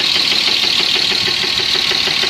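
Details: BMW M50 inline-six at idle: a steady light knock in time with the engine, several taps per second, over a hissy top end; owner cannot identify the noise, source undetermined.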